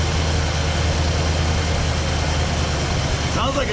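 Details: 1968 Mustang convertible with the 289 V8, first start after sitting 30 years, on a cold day in Canada with the choke held open, idling off the gas: deep, steady idle with an even, unbroken beat, no knocks or misses; normal idle.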